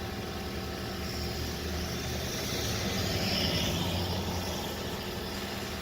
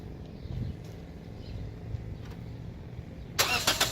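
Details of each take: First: 2014 Toyota Corolla LE 4-cylinder idling during diagnosis; battery terminals read 14.5 volts, showing the alternator works: smooth, steady idle with even low hum, no knocks or whine. Normal idle. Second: 2014 Toyota Corolla LE 4-cylinder, first start right after fitting a new battery: several seconds of low, uneven cranking before it catches with a loud burst. Delayed start, likely because the ECU needs time to power up after a battery change before cranking.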